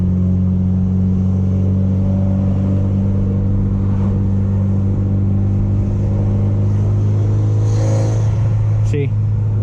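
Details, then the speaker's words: Evo driving with a popped intercooler hose: engine drones at steady revs with a hollow swirling whoosh of escaping boost and no surge of pull; boost leak from the intercooler line. "it dries just like normal whenever you're not on it you can just hear the terrorists fooling and swirling and swelling and nothing happening like listen"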